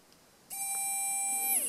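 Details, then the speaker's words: Good brushed micro-quad motor powered directly from a LiPo, held near the mic: a clean, steady high whine for about a second, then a smooth drop as power is cut; healthy motor. "Hopefully you can hear the sound. I'm sorry if it's not focusing because I'm trying to make it near the camera. But anyway, the sound is the important bit. So this is a good motor."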